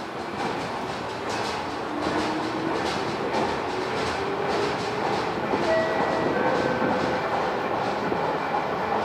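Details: JR West 221 series set K09, a Kosei Line local to Kyoto, passing Otsukyo station at speed: a loud rapid thump about twice per second over the rail noise from a wheel flat.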